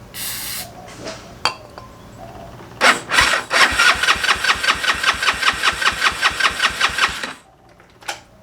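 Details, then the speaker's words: GY6 engine with a 171cc big bore kit in a Honda Ruckus, cranked on choke at first start after install: quick even chuffs, about five per second, for several seconds without catching. No spark, caused by stator leads to the CDI being reversed. "Doesn't sound like I'm getting a spark. 'Cause that should have made it. That should have made it kick over."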